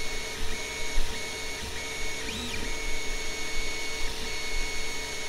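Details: Longer LK1 / Alfawise U20 3D printer modified to run quieter, microphone at a ruler's length from the centred head: low quiet hum with soft stepper tones shifting pitch, no rattles or grinding; normal printing noise.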